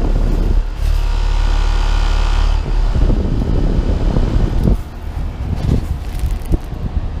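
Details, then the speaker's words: 2016 Carrier unit, about two ton, Copeland scroll compressor at startup: deep steady hum for a few seconds, then an uneven rough rattle as the compressor comes up; sounds off, cause unclear. "oh nice this little carrier just started up but it's uh it has a coping skull but it sounds kind of weird it is a 2016 um two ton i think"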